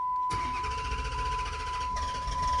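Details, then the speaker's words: Dodge Challenger, crank-no-start with water in the trunk: a steady warning chime over strong, even cranking that never catches. It feels like it wants to start but doesn't, with no fuel delivery. The cause was the fuel pump relay. "as you see feels like it wants to turn on but just doesn't do anything"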